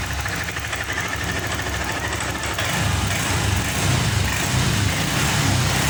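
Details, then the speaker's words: Honda Vario 125 FI after fixing the clogged, dirty injector, fuel pump pressure steady at 40: engine catches, picks up cleanly and holds a steady, even drone as throttle opens, no stumbling or bogging; cured. "Oke teman-teman, alhamdulillahirobbilalamin, motor ini sudah sembuh dari berbetnya, maksudnya dari ngemposnya. Yang di awal tadi kita tarik handle gas secara spontan, motor ini tidak mau naik gasnya. Sekarang sudah sembuh teman-teman."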